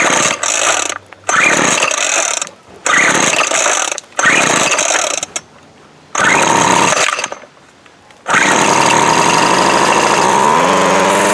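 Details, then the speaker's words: Craftsman 24cc 17-inch weed eater, bought with broken fuel lines and primer ball, plug showing fuel: the small two-stroke buzzes up in sharp rev bursts, then holds a steady high-pitched run; runs normally. "you know there you go everything works like I should"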